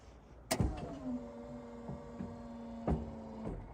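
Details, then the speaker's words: Meyers snowplow hydraulic pump motor, run on dual batteries with truck engine off, before replacement; plow slow and weak to lift. Low motor drone sagging in pitch each short run, clunks at start and stop: failing, struggling pump motor. "see how low and struggling it is yeah the truck's not on but I do have dual batteries"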